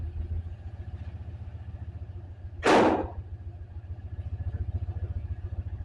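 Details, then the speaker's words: Turbocharged 5.3L LC9 LS engine in a truck after a new ECM and tune; lumpy idle with one beat regularly dropping out, a steady misfire. Suspected piston failure in cylinder 7. It still fires right up. "You can definitely hear it now. It's skipping on 1. But I mean, fires right up and it runs down."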